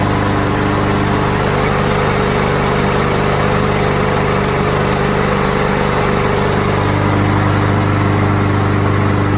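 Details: Craftsman 7.25 lawn mower engine, after its carburetor was cleaned because it had been run out of gas. It had run rough for about five minutes after being cleaned with WD-40 instead of carb spray. Here the drone is steady and even with no misses or surging, so it is running normally.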